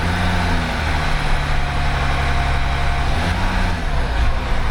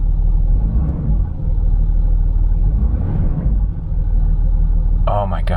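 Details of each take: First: 2008 Land Rover Discovery 3 TDV6 under rebuild: held at a steady 1100–1200 rpm, and also when coming slowly off the throttle, the engine note sags and climbs every couple of seconds, an idle surge. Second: 2008 Land Rover Discovery 3 TDV6: a steady, even low diesel rumble with no hunting or surging, giving a realistic oil temperature reading, and the previous idle problem is gone.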